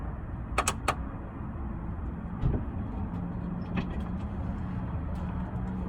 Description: Coming from the rear of my car wait until the end click,click,click